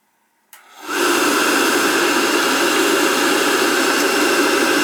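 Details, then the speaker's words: Riello oil burner on a direct-fired oil boiler that will not fire, with terminals 5–6 jumped for a call for heat. Only the motor runs, a steady airy whoosh with no flame, to check oil flow. A nozzle or carbon on the head is suspected. "I'm gonna turn the power on the calls for heat he'll run just the motors like a check the oil flow"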